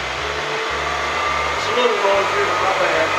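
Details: Bridgeport Series I milling machine after head removal and repair: even, steady motor rush with no knocking or grinding, running smooth throughout; the spindle head sounds healthy.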